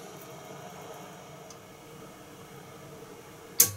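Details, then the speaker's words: Well pump with Square D Pumptrol pressure switch, adjusted and tank drawn down: quiet, then one sharp contact snap as the switch closes at 30 psi and the pump kicks on; normal cut-in. "all right I'm gonna draw the tank down here to see where the pump kicks in"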